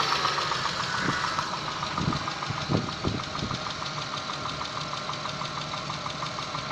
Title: стук двигателя на теплую 6a13